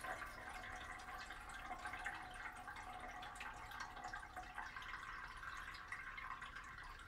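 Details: Toto one-piece toilet after rebuild with new flapper and fill valve (ball cock), following a loud whistling complaint: quiet gentle trickle and drip of water filling the tank, no hiss or hammering; refilling normally.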